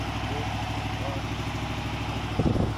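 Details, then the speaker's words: RV being readied for hunting, new battery, started with the camera at the back: starts easily with no smoke, low even idle rumble holding steady with a short bump of handling noise near the end; normal idle. "Still starts up a little too easy. And no smoke, man."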